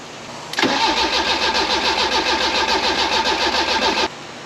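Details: Barn-find Fiat Bertone X1/9 after an engine swap, unrun for over five years. Steady starter cranking at about 3.5 turns per second that never catches. Fuel delivery is uncertain and the AFM is suspect; smoke and a hot positive battery cable follow.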